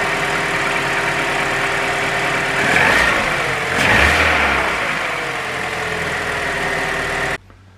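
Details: Vauxhall Adam petrol engine after coil pack replacement (same coil type as Corsa and Mokka) idles smoothly and evenly, with two brief rev blips and no misfire stumble; normal idle.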